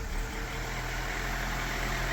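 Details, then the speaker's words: Fiat Seicento after mechanical work finished, started with some battery help: quiet, steady idle with an even low hum and no knocks, ticks or misses. The small engine is running nice and quiet. "brand new that's all running nice and quiet"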